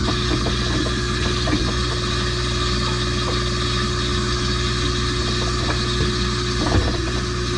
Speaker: no it's doing it as it should now this is really strange I'm not sure what caused that issue especially twice in a row